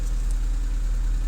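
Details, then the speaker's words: 2012 Chevy Cruze 1.8L whose click no-start was a blown fuse, not the starter, with oil added after being found low. The engine starts and runs at a steady, even low idle hum with no misses, knocks or clicks: normal idle. "so starter is not bad the fuse is bad fuses don't blow for no reason so I have to figure that out but no run yes"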